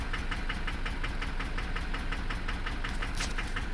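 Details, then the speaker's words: Duramax LB7 diesel, 320,000 miles: sharp, regular knock about three times a second over a steady idle, a pretty good whack, apparently from the other side; possible bad injector suspected, calculated fuel rates jumping around, balance rates not yet checked. "320,000 miles and a pretty good whack. If I had to say, I'd say it's on the other side."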